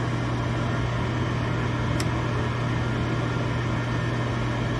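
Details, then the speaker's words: Gas furnace at first start-up on the new control board: the draft inducer runs with a steady low hum and even airy rush, with one sharp tick near the middle as the igniter kicks in; normal inducer running. "There it goes. The light's coming on the board. There goes the draft motor. Draft inducer."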